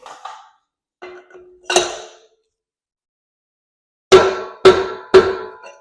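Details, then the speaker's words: Dana 44 front axle (1978+ Chevrolet big-bearing housing), pinion bearing race driven in with DIY tool: three sharp, clean metallic rings, no dull thud; metal-on-metal, pick tool shows no gap, race fully seated. "You can hear that when it goes metal on metal and pick tool tells me I'm fully seated on the back."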